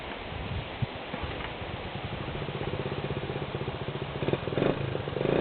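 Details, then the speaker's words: 1979 Honda CT90, just started by kick after new coil and electrical work: small single idling unevenly with a light quick ticking clatter over the putter; slightly slack cam chain tapping. "And it just runs along. You can hear it's got a little cha"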